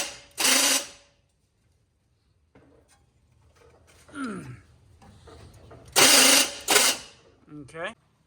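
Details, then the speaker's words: K5 Blazer with distributor timing suspected off, cranked via rigged starter button: short harsh ratcheting bursts each time the starter engages, no firing; the starter broke; starter ratcheting on crank. "okay so guys this thing is not going to start so I'm just going to let you look at something under here is why it's making that noise the starter broke"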